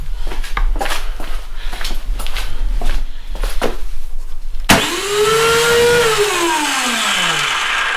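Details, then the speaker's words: Snowblower electric starter whirs to a high whine and coasts down without engaging or turning the engine, choked, with a full tank of possibly stale gas; owner suspects a gummed-up carburetor, spark untested, cause unconfirmed. "so it just spins nothing engages like I said my thought is that we're probably going to have to take it apart maybe disassemble the carb"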